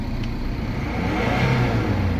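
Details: Mercedes-Benz CLS W218 petrol engine revving smoothly with a steady, even note and no knocking after repair of a knock that rose with throttle; engine temperature okay: normal revving.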